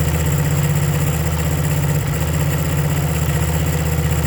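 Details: 1975 Honda CB125 single-cylinder at idle: uneven stumbling beat with a hitch near two seconds; misfire blamed on ignition points, new points ordered, not yet confirmed.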